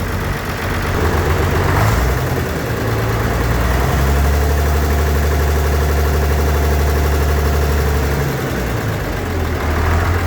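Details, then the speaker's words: Tractor diesel right after replacing badly clogged string pre-filter and paper fuel filters, previously starving for fuel: low steady rumble at idle with an even beat about four pulses a second, idling smoother. "We'll fire it up and see. Definitely idle smoother."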